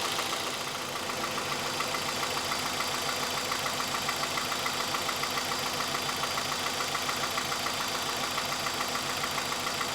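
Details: Petrol engine idling with a steady, slightly uneven ticking beat and shaking on a roughly 2012 Hyundai i30 at 115,000 miles with the engine light on. The misfire moved with the swapped coil, confirming a faulty coil-on-plug ignition coil, which was replaced.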